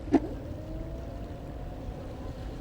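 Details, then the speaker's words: FLJ T11 2,400 W electric scooter, rear wheel spun by motor after brake pad replacement (Avid BB5 pads): one click, then a faint whine winding down smoothly, no scraping or rubbing; rear brake running free. "et aucun bruit n'est bon"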